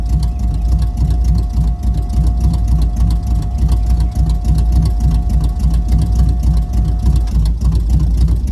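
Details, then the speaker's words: 1978 Camaro with swapped-in 305 V8, new distributor, first start in five days, super cold start: lumpy, slightly uneven idle with loping pulse and steady whine; rough cold-start idle but runs good. "it's a little rough there because you know super cold start but runs good"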